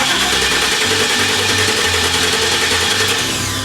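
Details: 1997 GMC Sierra 3500 that sat with chewed wiring; starter cranks steadily about three turns a second but never catches; cause found to be a dead fuel pump, later replaced; crank no start from failed fuel pump.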